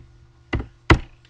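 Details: Haltech PS2000 boost control solenoid after resoldering a loose, broken wire: a few crisp single clicks over a faint hum as duty is commanded to 100%. The valve is snapping fully shut, so it is now working.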